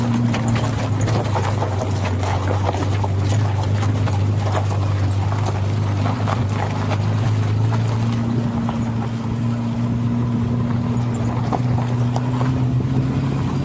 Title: Barulho na Suspensão! A Causa não é Pivô e sim Bucha de Fixação do Agregado (Desculpem)